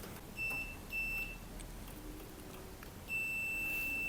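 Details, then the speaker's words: Inverter AC PCB with F1 communication error (4.8 V on signal line): multimeter in continuity mode on outdoor unit wire three chirps twice then holds steady, continuity confirmed, so the wire is good. "Beep की आवाज आ रही है तो इसका मतलब है कि तारों में कोई दिक्कत नहीं है."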